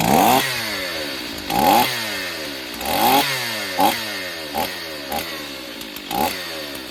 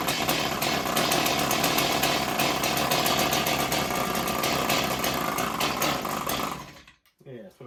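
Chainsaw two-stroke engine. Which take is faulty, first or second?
second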